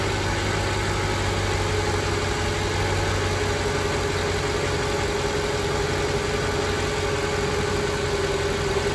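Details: Mercedes ML55 AMG V8 started after new valve cover gaskets, spark plugs, throttle body clean and new expansion tank cap (old one hissed). Steady, even idle with faint constant tone, no misses, knocks or hunting; engine running normally.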